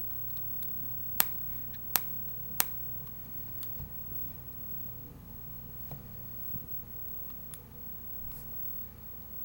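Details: Asus Nexus 7 tablet screen separating from its frame: sharp, dry clicks and pops on the left side whenever the tablet is handled, felt and heard constantly during use.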